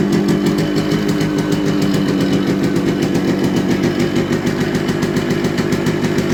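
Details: Yamaha RX100 two-stroke single on its original stock silencer, holding a steady, even idle with a crisp, rapid popping beat; loud with some smoke but running healthy, a normal idle.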